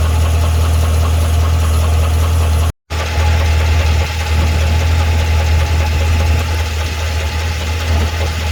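Steady idle with a light, fairly fast tick riding on top, about four a second, source of the tick not pinned down.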